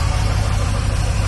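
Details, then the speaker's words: Chevy C1500 with an HT383e V8 after fitting an IAG V3 air/oil separator: smooth, even, low idle rumble with no ticks or knocks. Very quiet and healthy. "But as you can hear it, it's very quiet. Very quiet."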